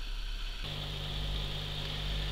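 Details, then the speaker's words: 650 L/h aquarium powerhead, back in the tank after silicone oil lubrication of the impeller (shaft worn): low, steady hum, no rattle or grinding. Much quieter, about 45 dB, normal running after the fix. "so now the pumps back in the tank the silicon oil seems to have done its job nicely it's much much quieter"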